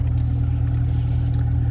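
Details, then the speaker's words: 2009 BMW 750i cabin blower fan, cabin filter already replaced: steady low hum with faint even pulse that never rises despite speed set to maximum; fan stuck on lowest speed and sounds bad; blower fan and resistor to be replaced. "sometimes it would not control the speed of the fan you'll just be like on the very lowest like this even though you add like all the way but it would just be barely blowing"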